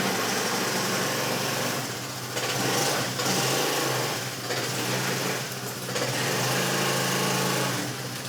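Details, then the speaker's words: Honda Forza 300 scooter pulling away: harsh, loud metallic rattle rising and falling with throttle, fine at higher speed; first suspected clutch, found to be a worn CVT drive belt. "When you take up the drive, when you're just pulling away, it's terrible. And then as you go further on, it's fine."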